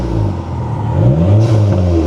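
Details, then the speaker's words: Dodge Neon SRT-4 turbo four bought sight unseen, engine still cold per the temperature gauge, free-revved: quick revs rise and fall cleanly with sharp exhaust pops and bangs as the throttle closes; sounds pretty good, normal revving. "oh she's got Pops and [Music] bangs oh okay hey sounds pretty good"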